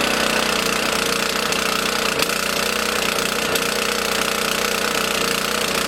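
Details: Small single-cylinder lawn mower engine on 87-octane fuel stored 13–14 months, started with choke out after about eight pulls, runs at a steady, even speed with no stumbling or surging: running normally.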